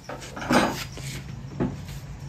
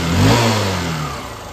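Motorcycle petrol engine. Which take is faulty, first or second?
second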